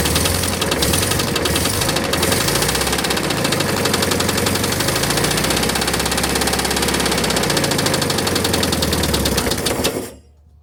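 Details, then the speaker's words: 1971 VW bus, 1600 single-port engine that sat for decades: rough uneven rhythmic rattle over idle; owner suspects the fan spinning as if bent because it is too tight. "So I've noticed that this thing spins like it's bent. I think it's because it's just way too tight. That's probably what my sound is."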